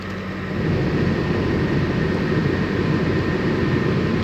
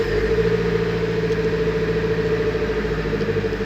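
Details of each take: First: Nissan 200SX S14 SR20DET idling with heater turned on: faint steady high-pitched squeal over the rumble; one of three recently replaced V-belts squeaking under accessory load. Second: Nissan 200SX S14 SR20DET after replacing and tensioning the three V-belts, which had squeaked at startup and with the heater on: smooth even idle, no chirp or squeal; fixed.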